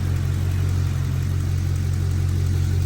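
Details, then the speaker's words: 2010–2014 5th-gen Camaro after fixing a cylinder 2 misfire (P0302/P0202) with a new spark plug, with no codes and no fuel leaks: a low, even idle rumble with a steady beat and no skipped firing. "think we finally got it all right no engine light oh we got it we fixed it"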